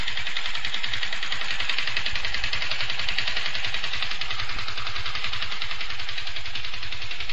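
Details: Yamaha FZ150i: fast, even metallic top-end clatter over a steady idle, getting louder daily with heavy vibration; it returned after an overhaul with a new engine bearing and primary driven gear. Owner suspects valves; unconfirmed.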